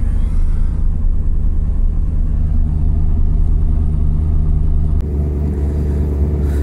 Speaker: so yeah cars running uh yeah it wasn't a bad cold start considering the e85